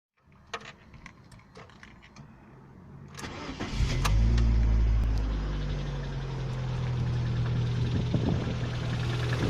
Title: стук в двигателе 11194